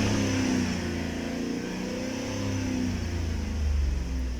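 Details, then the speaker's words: 2012 Chevrolet Tahoe V8 with a P0300 misfire complaint: revs rise and fall with an uneven, lumpy beat instead of a clean drone, a roving misfire on cylinders 1, 2, 7 and 8. The cause was traced to worn spark plugs. "لازم تاخذ حق الوكاله العموم هذا التشخيص عشان الواحد يستفيد منه طلعت المشكله من البواجي"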